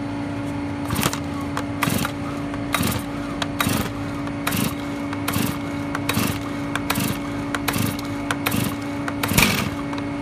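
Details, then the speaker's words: Brand-new Stihl-type two-stroke chainsaw, very first cold start ever, decompression valve pressed, chain brake on, full choke: sharp pops about once a second as it catches but won't keep running, the first-fire sputter that signals switching to half choke. "Alright, it shouldn't take that long next time, but you hear that, like it wants to start, you hear that sputter. When you hear that, you click up to half choke, also known as warm start."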